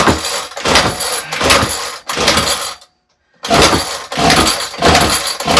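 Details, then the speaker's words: Ryobi RY252/RY253 2-cycle gas string trimmer, trade-in unit that sat unused, fuel lines already replaced: repeated rough starter pulls, about one a second with a pause, never catches; carburetor suspected, spark not yet checked; carb replacement next. "it could be the spark, but in general, when I have these problems, it's the carburetor 9 times out of 10."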